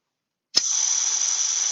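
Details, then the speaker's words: Vacuum generator with the air regulator opened one full turn: steady high-pitched air hiss starting abruptly, no low rumble, much quieter than before; normal flow at reduced setting. "and we're going to see that the noise is much less than it was previously with our regulator presently set at one turn so it's only open one full Revolution"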